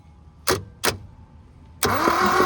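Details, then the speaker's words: 1972 Toyota Celica, factory 18RC engine, sat in a junkyard over 20 years, jumper wire feeding 12 V to coil positive: two clicks then steady starter whir; cranks without firing while checking for spark, which proved intermittent. "Now I'm gonna crank it over and see if we have spark."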